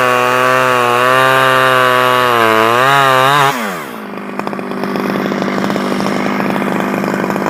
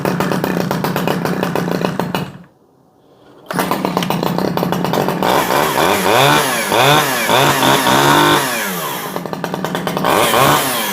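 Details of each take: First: Stihl 011AV two-stroke chainsaw after a carburetor rebuild and a spark plug coil wire fix; screams at steady high revs, then falls back to a busy, ticking idle. Runs and holds throttle; owner guesses crank seals may be needed. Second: Stihl 011AV two-stroke chainsaw, first start after choke: revs up and down unevenly with a blubbery burble at idle that clears on throttle; running a little rich, carburetor to be adjusted leaner.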